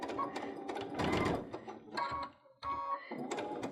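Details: Baby Lock Unity with a 3-groove pintuck foot and a 3 mm twin needle, sewing corded pintuck trim: short runs of quick, even stitching chatter with pauses and no clunking; normal sewing.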